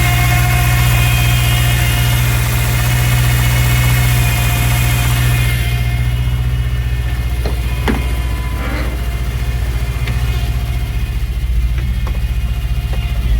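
Steady low engine idle with a constant airy hiss on top through the first half; points to a big vacuum leak.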